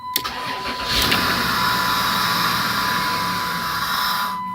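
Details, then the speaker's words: 1996 Dodge Grand Caravan SE 3.3 V6 FWD, 243,000 miles, after a replacement computer, starts but dies: catches after a short crank and settles into a loud steady hiss over idle, an intake sucking noise because the intake air duct hose is off. "The reason it's making that sucking noise is because I've got the intake air duct hose off, so it doesn't have a"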